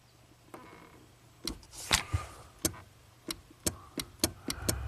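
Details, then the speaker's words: 1984 Porsche 928S cruise control clutch switch at the squeaky clutch pedal, after tweaking the plate so the switch is depressed: crisp, distinct clicks about twice a second as the pedal moves; switch now actuating normally, no parts required. "so you push the clutch in squeaky I don't hear it clicking that switch if I pull up on the pedal right there it's very close so I bet that switch was not being depressed"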